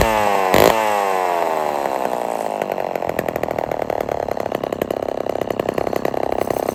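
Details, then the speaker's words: Old Homelite XL12 chainsaw; rough, rapid idle that never settles, chain keeps turning and engine bogs when slowed, owner blames worn clutch or weak clutch springs; clutch dragging at idle. "so the clutch is no good or the springs in it are no good cuz that idle um she's trying to turn and you can hear when I was trying to slow it down and stop it with a scrinch that uh the engine was bogging down"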